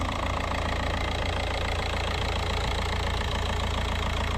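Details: VW Jetta TDI on its first start after an EGR and intake clean and coolant refill: an even diesel clatter ticks at a steady rate over a smooth low rumble, with no misses or hunting, a normal healthy idle.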